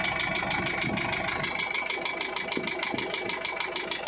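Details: Isuzu 4JH1 diesel at steady idle: a sharp, regular ticking knock about three times per second sits over the idle; engine knock with the cause still unknown.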